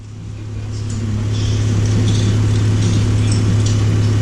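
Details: 2012 Chrysler minivan idling with failing TIPM fuel pump relay temporarily bypassed by a jumper wire (wire getting warm, ~114–130): steady low hum building smoothly to an even tone, no misses or knocks; running normally.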